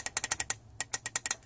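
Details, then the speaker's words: Torque converter PWM solenoid from a GM Holden 4L60E automatic transmission (stuck in limp mode), bench tested: about a dozen crisp clicks in under two seconds while pulsed and pressure tested; sealing well, actuating normally. "I've got the PWM pulse width modulated so long for the torque converter you can hear that like clicking or just pressure test that"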